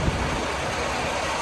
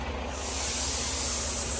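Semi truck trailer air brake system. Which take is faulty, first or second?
second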